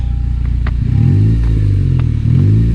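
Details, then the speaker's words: 2015 Honda Civic Si with Skunk2 Mega Power exhaust, after cutting a stud down about 1/4 inch and folding the heat shield in: engine blips and settles with a smooth, even exhaust note and no tinny buzz; rattle gone, normal revving. "The rattle's gone. Cut that stud down about 1/4 inch."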